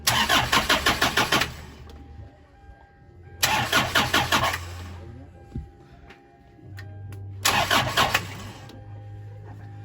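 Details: 2010 Hyundai Starex diesel: three cranking bursts of about a second and a half each, starter chugging steadily but engine never catches; crank, no start.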